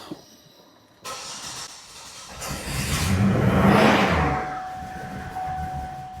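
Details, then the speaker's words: 2005 Buick LeSabre 3800 V6, no codes, O2 sensor already replaced, ICM suspected: barely starts after cranking, then runs unevenly with stumbling low exhaust pulses, a bad new misfire; owner suspects crank sensor, plans to scope it. "misfiring really bad. Now this is like a new symptom."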